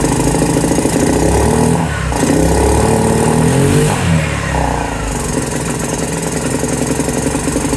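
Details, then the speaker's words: 2018 Lance Cali Classic 125cc scooter, found not running with mice in the airbox; after the idle screw was turned up it needs a lot of throttle, revs unevenly with surging and sagging, and dies when released. Will not idle. "I got have a throttle on a decent amount it doesn't quite seem right but maybe see have warms up"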